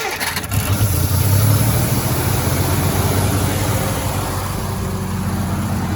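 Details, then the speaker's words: 1956 Dodge C3-H6 1.5-ton truck, unrun for 20-plus years, with a leak noted: a short crank, then it catches and settles into a steady, even low rumble of the six. It is running after long storage. "We got her revived. First start in 20 plus years, so that's always a great feeling"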